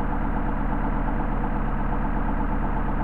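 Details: Mercedes 190SL with rebuilt, bench-tested Solex carburetors after idle mixture adjustment: a low, steady four-cylinder idle with an even pulse and no misses or hunting.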